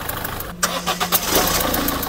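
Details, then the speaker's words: Engine catches and idles, revved lightly and released, with a quick rhythmic "çup çup" chuffing from leaking injector seals (washers); a simple seal fix, not the bearing failure a shop might suspect. "Çup çup çup çup çup çup diye ses geliyor. Arkadaşlar enjektörlerin pulları var. Pul kaçırıyor."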